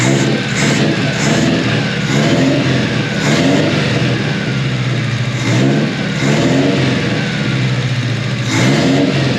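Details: 1988 Mazda body-dropped truck, first run with untouched out-of-box setup and Spintech muffler, smelling rich: engine revved in blips with uneven, stumbling beat; misfire heard, cause not confirmed.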